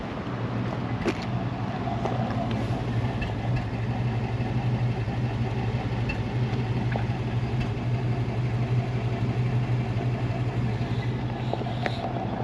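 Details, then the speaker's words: 1951 Cadillac Series 62, 13,000 miles, in neutral: starts effortlessly into a soft, even, barely audible low idle with steady hum, quiet exhaust, no knocks or ticks; normal idle. "voilà elle a démarré sans aucun effort on entend à peine on sait à peine que le moteur est en train de tourner ça peut pas être plus doux que ça"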